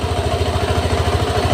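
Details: Honda Vario 150 injected scooter after throttle position sensor adjustment, idle set to about 1500 rpm, engine warming at 42 °C: quick, even putter with steady low pulses and no misses or knocks; stable, healthy idle.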